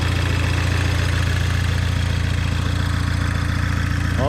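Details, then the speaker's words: 2004–2007 Audi B7 A4 2.0 turbo, 107K miles, after replacing a failed coil pack plus all coils and spark plugs that had caused misfiring and shaking: low, even idle with no stumble or shake. "Sounds much better. That's how it's supposed to sound."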